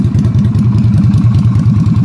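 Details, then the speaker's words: Yamaha Virago XV250 (Route 66 edition) V-twin, first start after fitting a new replacement carburetor, running with no choke cable installed and no leaks: steady, even thump at a fast idle with no misses or hiccups; runs cleanly. "no need to get a choke cable it's running without one"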